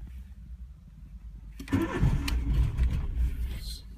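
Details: 1995 VW Polo petrol engine, hard or no starting: quiet rumble for a second and a half, then a catch and uneven running; temperature sensor disconnected with no difference, cause not yet found.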